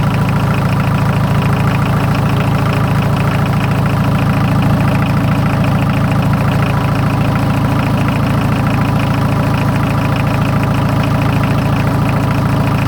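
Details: 43-year-old VW diesel truck, first start in a year on a ten-year-old battery: steady deep diesel clatter at idle, even beat, no misses; runs smoothly.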